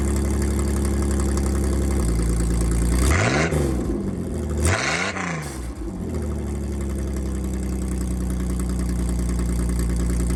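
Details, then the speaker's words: 1987 GMC S15 pickup, catalytic converter removed and test pipe sitting loosely on a clamp with no muffler, before final exhaust fitting: loud, raw, droning idle booming through two quick revs and settling back; unmuffled straight-pipe exhaust. "oh that would be sick if i didn't want a muffler but no"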